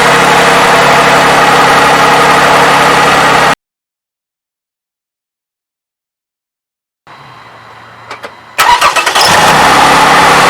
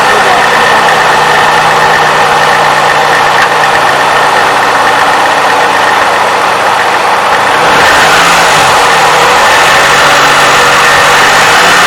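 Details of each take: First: Toyota 3.5L engine, 170,000 miles, after graphene oil additive for the valve-advance timing clacking: smooth, even idle hum with no ticking or clatter, then a quick crank and restart; normal idle. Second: Toyota 3.5L V6, 170,000 miles, cold start before adding graphene oil additive: quick uneven clacking about four per second from valve timing advance (VVT actuator), rising with throttle blip, over some belt noise.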